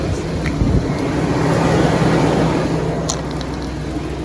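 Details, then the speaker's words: 2001 Chevy Express van, 4.3 V6, first cold start at 35°F without starting fluid after spider injector, coil and distributor replacement: catches, climbs to fast even cold idle, settles lower with no misses; no service engine light, running great. "okay guys here we go no service engine light it's running great wow that's what it was"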